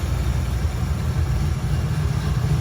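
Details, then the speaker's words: 1977 Mustang Cobra II V8, bought as a blown motor: steady, even low idle rumble with no knocks, misses or ticks; smooth-running, healthy engine. "I feel like there's nothing wrong with it. Like, listen how smooth this thing is. I think we got a hell of a deal, boys."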